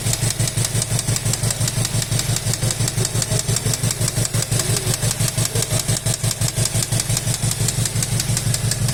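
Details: VW Golf 7 R engine at idle with a quick, even clacking tick, about five per second, heard over the idle; an engine knock whose cause is unknown.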